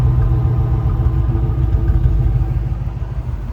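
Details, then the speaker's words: 1989 Chevrolet K5 Blazer 4x4 V8 with overdrive transmission, just after startup: deep, even, low exhaust rumble at steady idle, not obnoxiously loud, with no knocks or misses. Normal idle. "I'll fire it up real quick. It's not obnoxiously loud. Good little rumble."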